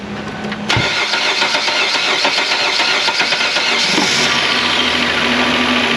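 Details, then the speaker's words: Engine started after reassembly of repair work: long, steady cranking for several seconds before it catches and settles, because the fuel rail was still empty and it had not been started before. "ah you thought there was something wrong there for a second didn't you didn't have any fuel in the fuel rail cuz I did not start it up secretly before starting the camera"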